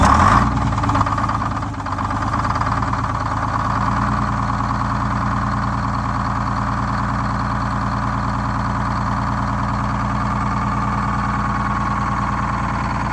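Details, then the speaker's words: Detroit Diesel 6-71 inline-six two-stroke in a bus, revved to about 2650 rpm after cooling manifold repair to check for coolant leaks: climbs to a high, steady scream, even and clean, no knocks or misfires; normal revving. "turned up to 20 uh 2650. It's way way up there, but uh it it sounds so good. I love the sound in Lenny."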